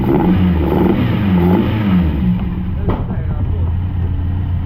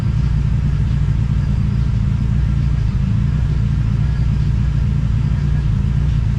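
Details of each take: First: TVR Cerbera that had been running rough and rattling, now running on only one of its two sensors with the other disconnected: engine revs cleanly on light throttle, then settles into an even, steady run with no rattle, like a brand new car. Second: TVR Cerbera: loud, lumpy low rumble with no clean pickup. The owner considers disconnecting one of the throttle position sensors.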